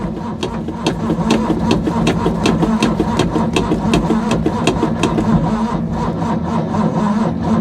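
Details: Ford Capri 3.0L V6 stored 20 years, fuel primed, manual choke, weak battery dropping: even, slow starter churn, roughly three compressions a second, no firing; cranks but won't start, no spark from the points.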